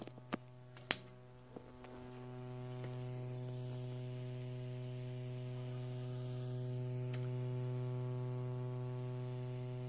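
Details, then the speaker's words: Alesis SamplePad 4 main outputs, first test after a factory repair: a steady low buzz with stacked overtones that is independent of the volume setting. Not fixed; a grounding design issue is suspected. "the buzz is independent of the volume so I can turn the volume up and down you can still hear the buzz it's like a grounding issue in the design somewhere"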